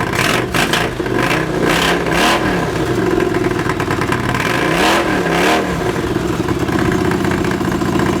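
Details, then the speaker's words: Honda CX500 cafe racer, carbs being colortuned, fuel screws 2.5 turns out: twin idles evenly but each throttle blip bogs and stumbles before revving; many flat spots off idle, idle improved. Hesitation on throttle opening. "so that it's not running perfectly at the moment there's a heck of a lot of flat spots you come here and I'm opening out of this flat spots there but it's idling a lot better now"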